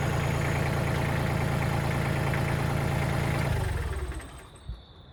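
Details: Kubota L3000DT diesel tractor after a good used replacement engine and service: steady, even idle with smooth regular firing, no knocks or misses, then a clean shutdown; normal healthy idle.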